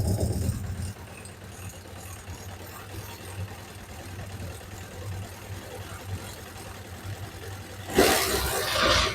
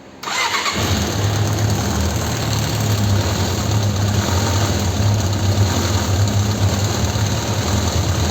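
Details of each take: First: Suzuki GSX600F after fixing an unstable, oscillating idle, before carburetor synchronization: quiet steady hum with no hunting or surging, rev needle no longer trembling; normal idle. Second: Suzuki GSX600F that runs poorly, especially on starting, despite past services: fires up and idle keeps swelling and sagging instead of holding steady, unstable RPM, before new NGK DR8ES plugs and carburetor synchronization once warm.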